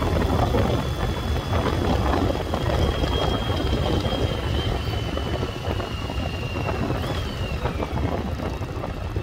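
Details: 1996 Yamaha Virago XV750 V-twin, sat untouched about 10 years in a garage, now cleaned up, test ride on the road with wind rush: even drone pulling steadily, no popping or misfire; running smoothly.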